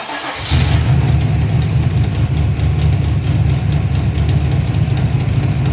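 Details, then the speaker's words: Turbo V8 street car with Black Widow muffler; deep heavy idle with light fast ticking over the rumble from leaky header V-band clamps, still leaking after tightening. "so that sounds great so hopefully those leaky v-bands didn't ruin the video and you could get a good idea of what each one sounds like"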